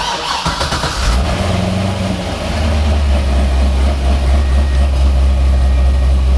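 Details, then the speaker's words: Chevrolet C6 Corvette after replacing the OEM alternator with an aftermarket unit: cranks, catches quickly and settles into a smooth low idle with no whine, squeal or ticking; charging 14.6–14.8 V with AC on; normal start and idle. "No weird noises in the engine bay. Is it quiet?"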